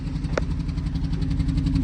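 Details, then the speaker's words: BMW 118i 1.5 Sport (2015 registration) idling with flashing engine management light, drivetrain light, excessive engine vibration, gear stick flopping: uneven stumbling low thrum, running rough; misfire rough idle. "But as soon as you start the car, you can hear it's running rough."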